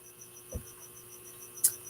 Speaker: I hear a buzzing there's some kind of buzzing going oh you hear it yeah it's it's this fluorescent light